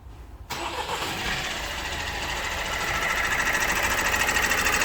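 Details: Opel Astra J 1.6 diesel 136 hp at about 177,000 km, timing chain already replaced once, cold start before second chain change: fast, even metallic chatter about three ticks a second over diesel clatter; timing chain rattle.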